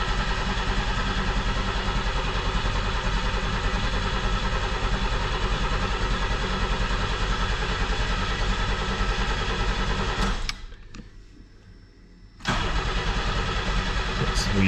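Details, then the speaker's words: 1990 Pontiac 6000 SE AWD that sat 20+ years, with fresh oil, ignition module and new battery. It churns steadily about ten seconds without firing and shows no RPM signal while cranking; owner suspects a bad crankshaft sensor: crank, no start. "Cuz yeah, I think we should see RPM while it's cranking and I don't."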